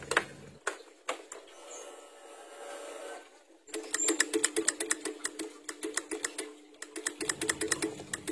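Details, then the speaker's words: Honda Scoopy: pressing the starter gives only rapid clicking near the battery, about seven a second, no cranking; ignition, horn, turn signals and brake light work; old battery reads over 13 V, so another battery is tried. "dipencet tombol starter mesin tidak mau hidup dan terdengar cuman suara cetik-cetik di bagian aki"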